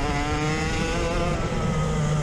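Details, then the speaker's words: Kart driven back after its exhaust broke off on a Palace Karting test day in Galway (brakes also failing from a master cylinder fault): loud raw open-pipe buzz at steady revs, harsher than normal, exhaust missing. "The exhaust broke off. You can hear the tone pitch changing."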